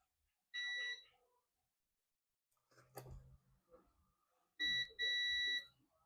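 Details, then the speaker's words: Dell Latitude E5250 logic board (no power, not charging) after removing a shorted MOSFET; multimeter on the second capacitor gives two clean continuity beeps, reading 0.0–0.6 shorted to ground: capacitor dead, shorted. "So you can see the reading 0.0, 0.6 shorted to ground. This capacitor is dead. This capacitor is shorted. You can hear the beeping sound."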